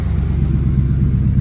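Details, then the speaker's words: 1971 Ford F100 XLT Ranger build with 2017 F150 6R80 transmission, first fire-up after torque converter repair, engine still cold: deep, even, smooth idle with no ticking or knocks, good oil pressure. Normal cold idle. "But man, this is purring like a kitten. Let's just pull these lights on. Everything's sounding good."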